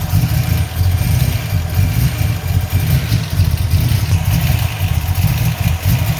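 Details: 347 V8 at idle: lumpy, uneven idle with deep low rumble stumbling irregularly, a misfire; vacuum leak suspected, cause not confirmed.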